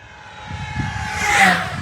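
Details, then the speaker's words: FMS P-51 Voodoo V2 1.1m electric RC plane on 4S 1500mAh 100C battery, full-throttle low pass: high screaming motor tone swelling and fading as it passes, clean and steady; normal healthy full-throttle run. "that is incredible on 4s guys this thing screams"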